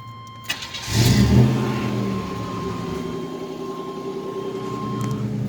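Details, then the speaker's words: 1987 Chevrolet Celebrity Eurosport 2.8 V6 (owner believes HO), 4-speed automatic, gutted catalytic converter: starter cranks briefly, catches cleanly, settles into steady even idle around 800–900 rpm with deep loud exhaust rumble; charging and temperature good. "Idling at around 800, 900 RPM. Charging great. Temperature's good."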